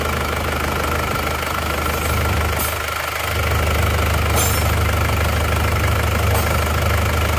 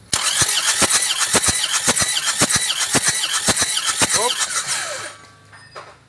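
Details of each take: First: Isuzu Panther Touring diesel rebuilt (cylinder block bored, new liners) after overheating from coolant loss on the toll road, nozzle pressure readjusted from very low; steady low idle with even smooth beat, no irregular knocking, running cleanly. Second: Isuzu Panther Touring diesel that died after running out of coolant on the toll road, cranking without firing during compression test before rebuild; about two even beats a second; low compression, cylinders 2 and 3 about 3 bar, only number four good, scoring found.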